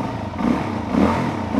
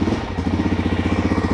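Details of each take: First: 2006 Suzuki DR-Z400S after Mikuni BSR36 carb cleaning: four crisp throttle blips about every 0.6 seconds, each revving and dropping back cleanly without bogging; healthy running, runs like it should. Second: Suzuki DR-Z400 with stock Mikuni BSR36 carb gummed by old fuel and carbon, started hot on choke; lumpy single-cylinder idle pulsing, stumbling and wanting to die when throttle twisted: engine bogs and dies, carb cleaning needed.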